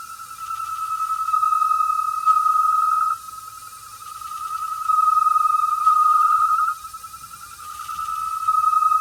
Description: It was because the pipe was too small. We got a thicker pipe and the noise stopped.